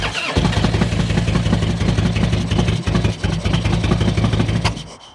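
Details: Barn-find Harley-Davidson V-twin bought sight unseen at auction, started after cleaning and getting it running: fires straight up into a deep, loping potato-potato idle, steady for several seconds before shutdown; runs healthy.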